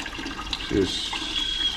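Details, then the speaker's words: Boiler hydronic floor heat, barn start-up after new pilot assembly, cleaned burners and new expansion tank; gurgling, trickling water with air heard going down through the zones, return oddly warm, unsure if it's opening; water flowing with trapped air. "I can hear the water and it's going out here and going down through the zones but I don't know if this is opening up cuz that's my return why is that warm air air I can hear air"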